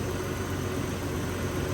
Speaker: when's that fan gonna kill okay it's gonna wait until it gets way up there in the 200s it's not hot enough